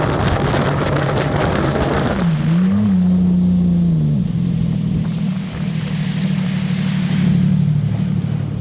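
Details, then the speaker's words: Sea-Doo XP X4 with Spark ACE 900 4-stroke swap, on water: steady high drone at speed, limited to about 5,635 rpm and 35 mph (8,800 rpm off water); owner suspects impeller pitch, possibly beginner key. "Alright, so the ski is running great. You can definitely tell it's limited. We're only hitting about 35 miles an hour."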